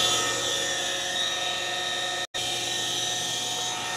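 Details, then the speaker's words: Pentair/Sta-Rite Dura-Glas pool pump motor running: loud steady high-pitched whine and raspy hiss; failed shaft seal let water into the motor, ruining bearings; also water leaking; motor to be replaced with new seals. "that's allowing water to get into the motor and it caused the bearings to go bad hence that noise that you hear"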